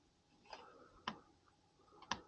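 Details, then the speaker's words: Home heating thermostat relay clicking in a quiet room, a few sharp dry clicks about a second apart as it switches to call for heat; the click heard after a thermostat/remote test during a furnace service call in 1-degree weather. "remember when I said like sometimes you would hear a click what that thing yeah it was I've never heard a click all right hold on sh yeah I would hear a click now see click click"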